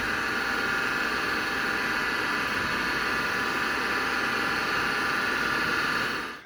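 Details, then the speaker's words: 40-year-old MiniScribe hard drive in an IBM 5161 expansion unit on an IBM PC 5150, working: loud steady high whine with constant hiss, no pitch change; far louder than normal MiniScribe noise. "however the minis scribe is winging it certainly doesn't like having been woken up so the noise is just too loud and will drive you crazy"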